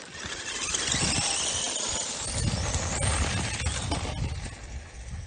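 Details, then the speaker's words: T-Maxx RC truck with brushless conversion (Surpass Hobby 5200kv) on 4S LiPo at full throttle: loud whine with hissy, uneven roughness and squealing; sounds rough, cause not pinned down. "I was gonna say, man, that sounds rough."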